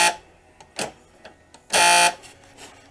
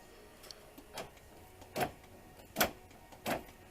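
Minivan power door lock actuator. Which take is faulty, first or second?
first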